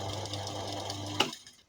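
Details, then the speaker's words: Second-hand electric fan running loud. The motor groans with a strong low hum and fast rattle because its shaft is loose, while the blades still spin freely. "เคยเจอยครับพัดลมนะครับเปิดแล้วเสียงดังนะครับเนี่ยครับอาการแบบนี้เลยนะครับ"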